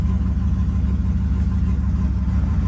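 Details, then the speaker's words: Stock turbo GMC truck engine, now warmed up after a cold-start surge. It idles steady and even around 750 rpm in closed loop, with trims back in range and no misses. Normal warm idle. "Idling fine. The idle will come down around 650 once it's warmed up. I'm sorry, 750. So it's right about there."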